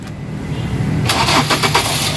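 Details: Ford Focus with a no-crank, no-start fault, after broken ECM wiring was repaired. A brief crank, then the engine catches cleanly and settles into a steady idle without stumbling; normal engine start.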